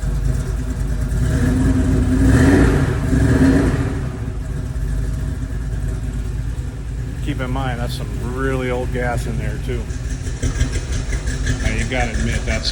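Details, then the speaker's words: Ford Bronco V8 with carburetor, first running after sitting 11 years: deep steady rumble that swells with a rev and settles back to an even, smooth idle; sounds pretty good, normal running. "well here we are got it running this thing's been sitting for 11 years and uh yeah sounds pretty dang good"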